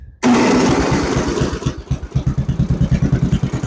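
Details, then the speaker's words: Snowblower with a replacement motor and a suspected oil issue, choke on, not fully primed; quiet, then it catches with a loud burst and settles into a slightly uneven thumping idle around three beats a second; starts first try. "So, but it fires right up first try, and according to my stepdad, it's never done that before."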